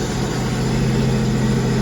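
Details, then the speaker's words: Sea-Doo RXPX 260, supercharged, at idle just after a PSFlasher ECU tune: a steady low drone with an even hum and no knocks, misses or surges, no fault codes; a normal healthy idle. "No fault codes. Revs up. Starts up, revs"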